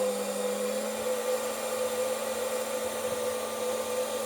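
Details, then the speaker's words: Bench test of new VFD spindle for Genmitsu ProverXL 4030 desktop CNC, dialed from about 1,840 rpm up through ~13,400 to 24,000 (tachometer reads 23,873, ~1% off): steady hum and whine, no wobble or rubbing; healthy. "and this says 13,400 13,300 and something so it seems we're you know roughly 1% off now up to 24,000 23,87350"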